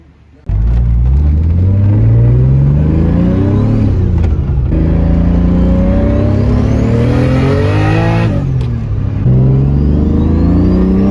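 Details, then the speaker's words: Turbo M52-swapped BMW E30 with a new full 3-inch stainless turbo-back exhaust, after re-tightening a coupler that had come off. Smooth, deep exhaust note rising cleanly through the gears, with no rattles or leaks. It is now much quieter and healthy. "took it back pretty happy with exhaust uh a lot Qui quieter now"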